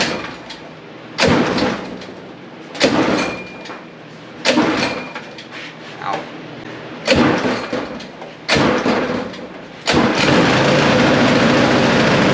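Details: Rebuilt 40+ year old go-kart's new 6.5 hp engine, fresh oil and gas, first start: five or six sharp recoil pulls a second apart, then catches and settles into a steady even run; clean start.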